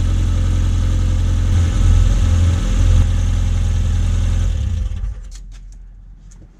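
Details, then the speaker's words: Classic Mini fuel-injected (MPI/SPI) after fuel filter replacement, leak check: smooth even low thrum, one brief rev blip, then clean shutdown; sounds healthy, normal running. "We can see it's nice and dry, there's no drips there, so just start it up, run it for a bit and check for leaks."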